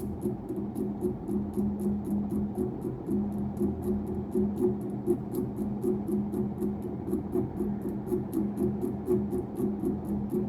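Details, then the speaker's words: 1991 unknown-brand 42-inch hugger ceiling fan, model HC42 (60 W, 0.5 A), first test startup: steady low hum with light ticking about four times a second as it spins up; unique startup noise, owner suspects bad 4 µF capacitor, not replaced. "See if the capacitor needs to get replaced. Wow, this has a unique startup sound."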